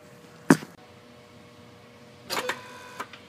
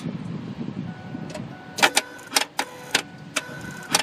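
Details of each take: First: Ford F150/F250 5.4L 3V electronic throttle body (P2135 context), a known-good unit at key-on: a brief motor whir and click, then a whir and clunk two seconds later, then quiet. Normal single full-open, full-close self-test cycle. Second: Ford F150/F250 5.4L 3V, key on engine off, heard in engine bay: throttle continually snaps and clicks erratically instead of one open-close cycle, telltale of bad electronic throttle body (P2135, wrench light).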